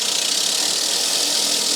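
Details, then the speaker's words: Rolux reel mower backlapping, reel spun backwards at controlled speed with lapping paste: steady even gritty hiss, the grinding meaning paste is honing reel against bed knife; no grinding would mean gap too loose; normal backlapping grind. "When you hear that grinding, it means that the paste is honing itself with the bed knife underneath. If you don't hear that grinding, it may be too loose."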